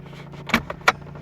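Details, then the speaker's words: 2010 Chevrolet Impala, key on: sharp plastic clicks from behind the glove box over a low hum, the failing HVAC recirculation door actuator; fix is replacing the actuator. "it sounds like it's coming from behind the glove box there's another funky noise too"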